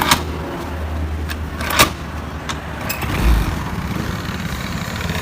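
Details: Carbureted automatic scooter that makes a noise when started: low engine drone with scattered rough clicks and knocks from inside the CVT case.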